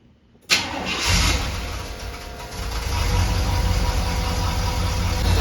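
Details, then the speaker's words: Chevrolet Silverado square-body with newly installed Holley Sniper EFI, first start: starter catches straight away, engine fires and settles into steady, even low-rumbling idle; normal start and idle. "I read the instructions some more went through all the parameters had to cycle the power on and off again and man is she running like a champ so"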